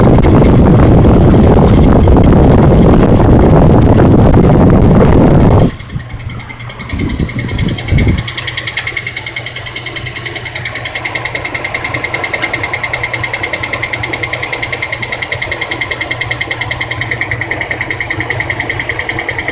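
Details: 2003 Dodge Durango with a used replacement engine idling with a steady, quick ticking, about three ticks a second; driven long like this, the ticking was fixed by adding transmission fluid.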